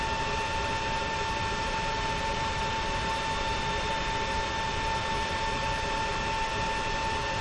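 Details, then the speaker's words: Creality Ender 5 Plus 3D printer after installing silent mainboard: only an even power-supply fan whir with steady mid-pitch hum, no motor whine or stepping; prints quietly and normally. "this silent board for the ender 5 plus is really silent"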